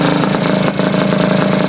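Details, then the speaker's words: Honda Elite 50 scooter with 30mm carb and newly installed Taida radiator, freshly started: fast busy buzz held well above normal tickover with no drop; idling too high, owner suspects air bubbles in cooling system, unconfirmed. "I got to figure out this problem why it's running so high it doesn't make sense to me but it could be the air bubbles"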